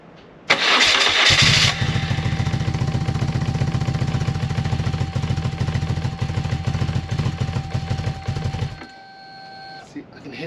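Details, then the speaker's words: BMW R1100R after a new fuel pump, fuel filter and replacement coil, with the battery a little low: it cranks, catches and runs rough and uneven for about seven seconds, won't hold idle and dies on throttle. Cause still unclear; leads or plugs suspected. "battery's a little bit low low unfortunately but everything runs but it dies as soon as it goes into throttle it dies it dies out"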